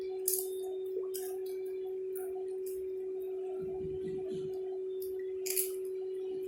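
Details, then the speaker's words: New Q9 wireless Bluetooth mic in rose gold, tested connected to a phone app. A steady, unchanging mid-pitched hum from its built-in speaker runs under faint clicks and grows when the volume is raised: constant hum. "Tak ku mengerti mengapa begini. Dengungnya masih ada."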